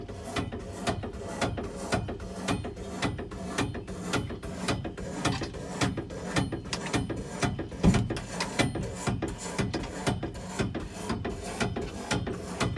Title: Cold water issue and banging noise